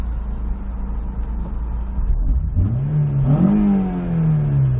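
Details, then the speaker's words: 2003 Honda S2000 AP1, after OEM catalytic converter and new injectors fixed misfires; clean, even climb through the revs on a drive with no stumble or bogging, normal acceleration, slight gas smell noted. "let's perfect let me just stab it right into gear not one problem"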